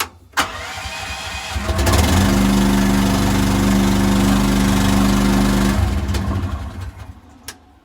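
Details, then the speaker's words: A mini excavator is started from cold with the main power on, the choke pulled and the throttle a little past idle; fuel may not have reached the bowl. A short crank catches quickly into a steady, even fast idle, a healthy cold start. "There may or may not have been gas in the actual bowl, so you may have to crank it a few times, but that should get it."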